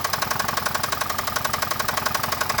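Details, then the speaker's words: Chevrolet Traverse after fresh oil change with thicker oil and Lucas stabilizer, warming up at idle: sharp, even metallic knocking about eleven beats a second over a quiet idle; persistent internal knock not eased by additive. "i think it just went down because the uh the idle went down i mean what better way to warm up the engine right oh she's still knocking on heaven's door that's for sure"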